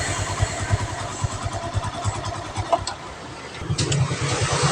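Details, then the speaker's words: Carbureted Honda Revo Absolute that died suddenly while riding with total ignition loss, now with ignition restored: catches after a few cranking pulses and settles into an even, steady idle. Normal start and idle after the ignition fault was fixed. "cekurah dan motor pun sudah nyala"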